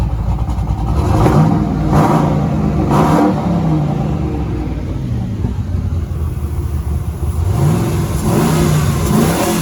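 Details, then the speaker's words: 1957 Chevy 1300 pickup, turbocharged with wastegates, cold at 154°F coolant after exhaust and intake changes: clean repeated free revs rise and fall smoothly, turbos whistling on each blip, no knocks or misses; healthy engine and turbos. "nice you can hear the turbos [Music] there we go beautiful"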